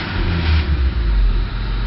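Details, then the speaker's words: 1988 Honda Civic after ignition switch replacement (the old switch let it crank and start but it died once the key was released): low, even idle rumble that keeps running steadily without stumbling. "Let's see what it does. I don't have the thing on yet. It sounds like it's staying running to me."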